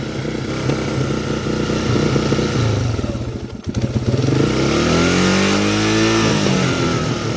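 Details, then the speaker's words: Yamaha Warrior single-cylinder ATV, sat four years with fuel evaporated, new carburetor, battery and filters fitted; first start surges and revs unevenly, pitch sweeping, stalls with choke off and nearly hits redline on full choke; owner suspects carb sticking. "off yeah it won't run with the choke off and on a full choke it rests the red line damn near it"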